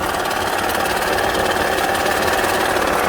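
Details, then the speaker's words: Honda Pilot with oil and coolant levels fine, idling: dull steady knock heard close-up at the oil pan, suggesting a worn lower-end bearing or rod knock; suspected, not confirmed. "and it sounds like it's a bearing it sounds like it's right in here"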